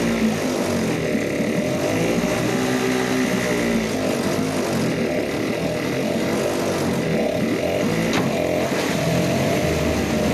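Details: Yamaha/Suzuki 2.5hp outboard two-stroke with a slow-running jet problem, being adjusted by balancing the screws: an uneven, buzzy note whose pitch wanders as the screws are turned, showing rough running from the slow-running jet fault.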